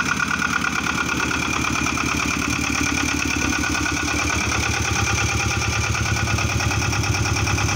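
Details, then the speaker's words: Engine running after a generator replacement: an even, steady beat at about three pulses per second with no belt squeal or flapping, showing correct belt tension. A squeak would mean the tension is too low. "Yeah, when you start the engine, you need to check that the belt isn't flapping around. That means you have a good tension. And listen for any squeaking sound."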